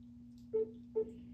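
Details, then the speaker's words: Space Duel arcade game under restoration: steady low hum under two short mid-pitched beeps; speakers and speaker harness ruled out, hum persists; unwanted tone, cause not yet found. "At least we can hear the beeps. Nope. Making that noise again already."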